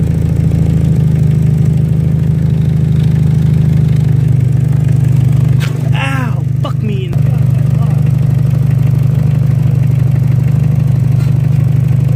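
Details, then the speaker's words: Dodge Neon, first start after a clogged catalytic converter was replaced with a MagnaFlow high-flow unit and the exhaust leak fixed: smooth, deep, even idle with no ticking or puffing at the manifold; exhaust sealed. "So, they hooked the battery back up. Now time for his first start without the exhaust leak."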